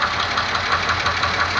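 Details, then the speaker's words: 2002 Pontiac Grand Am GT 3.4 engine, knock began days after spark plugs, oil change and tune-up: sharp regular ticking knock about six per second over steady idle, cause unknown; engine knocking at idle. "Y este ruido le empezó a los días. Es un golpeteo."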